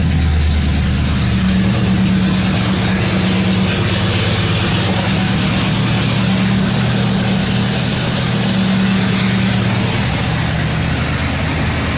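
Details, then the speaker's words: 1977 Mercury Marquis 400M after a tune-up with new plugs and wires and the distributor corrosion cleaned: a steady, even, smooth idle with a couple of light blips, no knocks or misses, running healthy. "Running pretty good. Motor sounds pretty nice. Sounds healthy and everything."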